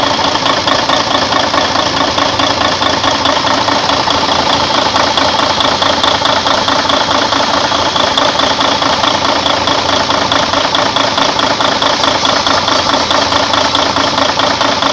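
Steady, even diesel clatter at idle with a regular beat and no knocks or misses; the engine idles cleanly and sounds healthy.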